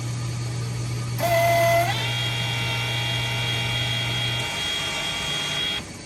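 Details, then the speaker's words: Coffee machine troubleshooting no milk from the spout, rinsing the milk line with clear water by ordering warm milk until the container is empty: steady pump hum under a hissing, rising tone that settles and runs evenly; normal milk dispensing. "So we rinse the line right here. We order warm milk 5 times until the container is empty."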